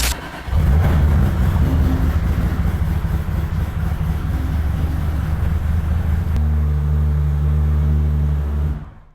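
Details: BMW E46 pro drift car after engine reassembly with bigger turbo hot side and new injectors, not yet tuned or at temperature: catches at once, firm even idle, steady low exhaust rumble, no misses, clean shutoff; normal start-up.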